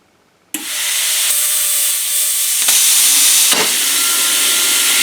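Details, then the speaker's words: Arccaptain Cut 50 plasma cutter at 30 amps cutting mild steel, rated to 3/16 in: sharp steady hiss starts abruptly, holds evenly with brief flutters; cuts right through, normal plasma cutting. "Made short work of that. Okay, that cut right through that."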